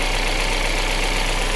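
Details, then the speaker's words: 2019 Kia Sorento with rough idle, surging and stalling; with broken MAP sensor wire fixed and damaged MAP sensor pressed in, steady even idle with smooth low rumble, no stumble or hunting; engine running cleanly. "Well, now it's working. So, yeah, they got a bad map sensor. Bad wire and a bad map sensor."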